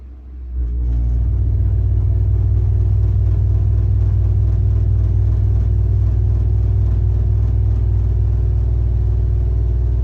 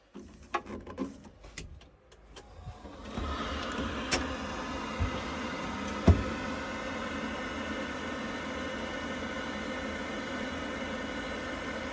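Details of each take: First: Worcester Bosch 30i ErP boiler, about five years old, fires into a heavy, low, pulsing loud roar customer called banging; case off reveals the rear air intake silencer missing, causing the rumbling. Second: Worcester Bosch 30i ErP combi boiler, about five years old, after refitting the dislodged air intake silencer that caused loud banging; a few clicks, then the burner lights into a smooth steady roar with no banging, running normally.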